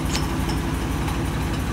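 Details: 1999 Ford F250 Triton V10 with aluminum heads, after blown-out spark plug repair with thread insert kit: smooth, even low idle, no misfire or ticking; rattle heard is the A/C compressor clutch; fixed.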